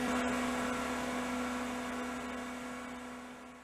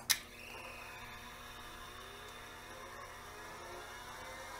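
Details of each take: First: 1980s CDC Finch 8-inch hard drive: smooth steady spindle whine, bearings sound smooth, slowly winding down with no head seek clicks; heads fail to self-seek, possibly due to an overheating 7818 18-volt regulator (24 V in) that runs too hot. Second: 1980s CDC Finch 8-inch hard drive after replacing the failed 7818 regulator: rising whir as platters spin up, light ticking of heads stepping through their self-seek test; drive now runs properly.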